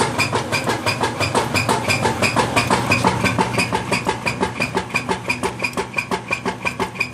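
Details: Whirlpool LSQ9200LQ0 washing machine during the agitate cycle: a loud, very even rhythmic chugging, about three per second, following the agitator strokes; loud noise, cause unknown.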